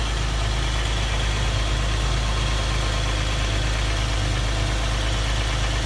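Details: Toyota Sienna idling after replacing crumbled muffler gasket that caused rattling on acceleration: steady low hum, no rattle or buzz from underneath, exhaust sealed, running normally.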